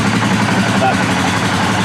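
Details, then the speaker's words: 2018 Polaris Sportsman ACE 570 single after second rebuild, 351 miles, first start checking valve clearance (tappets/shims): low steady idle, even beat, no valvetrain ticking; starts normal, pretty good. "Cuz if it doesn't start up normal, then we're going to have to do uh different tapets, different shims. That's pretty good."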